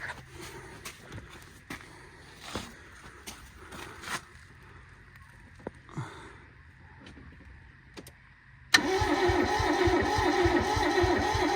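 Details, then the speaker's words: Barn-find Toyota AE82 Corolla 4AGE, no fuel leaks: scattered sharp pops and clicks, then a sudden loud rough chugging burst that tries to fire but won't catch; the owner believes it has spark. "Oh man. Well, there's something going on. Wants to do something. Jesus, making a funky noise though."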